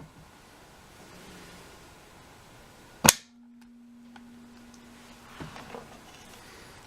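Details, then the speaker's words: Homemade 12 V electromagnetic contact switch built from scrap solenoid parts, fed 12 V; one sharp loud clunk as the plunger slams against the stopper, then a low steady hum while the coil holds; it pulls in properly. "You'll hear it. That's the electromagnet turning into a magnet, activating that plunger inside, which looks something like this."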